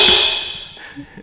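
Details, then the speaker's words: AWD Civic Type R build: horn gives a short harsh blast with a buzzy, rattling edge that fades quickly; the horns are hitting each other or nearby aluminum and need adjusting, not replacing. "So horns are like hitting each other or hitting on aluminum. They sound weird."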